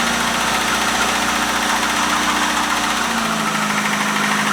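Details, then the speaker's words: 1973 Opel 1900 (Ascona) abandoned for years, after fixing a no-spark problem: old four-cylinder catches and settles into a steady, even idle with a slight tone drop near the end; running fine. "it it does work [Applause] hey chefs sounds good i don't know i mean that would run"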